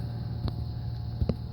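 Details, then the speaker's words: Old Trane HVAC unit compressor failing to start after rewiring and thicker contactor wire: low strained hum with a couple of sharp clicks, drawing about 50 amps but unable to break free; compressor locked. "Well, our unit still won't start. We pulled 50 amps, but we couldn't break free. It was trying to start."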